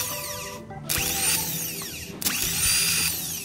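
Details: Toyota Kijang Kapsul petrol starter motor bench-tested with jumper cables after repair and replaced parts: two short bursts of high, even whirring with a clean run-down and no grinding or clicking. The starter spins freely and sounds healthy.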